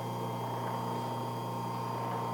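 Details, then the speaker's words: Vintage H-G 1/4 hp four-pole split-phase AC induction motor, 110 V, 50 cycles, 1450 rpm, 5 A: switched on and running with a steady, even hum and no rattle, growl or wobble; normal running. "not too bad that's a split phase motor I can live with"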